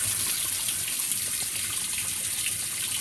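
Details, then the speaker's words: Whirlpool WTW5300SQ0 top-load washer after a new timer was fitted, filling with warm water on normal regular cycle: steady hiss of water pouring into the tub, no knocking or hammering, a normal fill. "steady so yeah um this is warm this is this is warm water right now"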